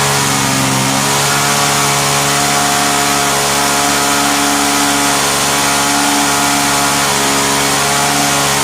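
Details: Vintage Hot Wheels gas go-kart small single-cylinder engine, after sitting about 10 years, running without its cover: unsteady wavering buzz at high revs; owner suspects mixture, which needs intake restriction.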